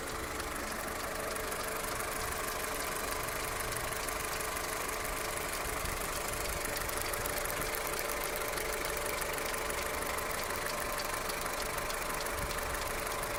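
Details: Skoda Octavia Tour 1.4 16v, 630,000 km, hot after half a day's driving, no error codes, running smoothly at idle: light, fairly steady ticking knock about two per second over the engine; source undetermined, cold start check planned.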